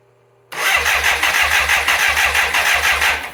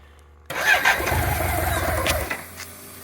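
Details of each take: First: Fire-damaged 1985 BMW K100 motorcycle that sat 6 years, cranking with the plugs back in: the starter turns it over in even pulses about three a second, but it never catches. A relay with something loose inside was found; the fuel injection relay is faulty, so crank no start. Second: 1985 BMW K100 motorcycle after fire damage, sitting 6 years and a fuel injection relay fix: catches at once after a short crank, flares, then settles to a steady even idle; starts and runs fine, throttle may need adjusting.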